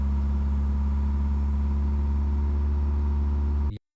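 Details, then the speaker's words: Toyota AE86 Corolla with 4AGE, always high idle: very cold start, idle climbing toward 3,000 rpm, smooth steady raised note; targeted fix is throttle end-stop adjustment and TPS calibration. "Sometimes when it's really cold, idle goes up to 3,000 uh RPM in cold star. You can see it's still climbing."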